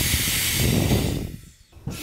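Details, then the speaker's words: Mercedes Airmatic air strut, bellows removed, fed shop air from an air gun: strong continuous hiss of escaping air, felt rushing over the hand, fading as pressure bleeds off; strut leaking, can't hold air. "so i can put my hand here and physically feel air rushing over my hand"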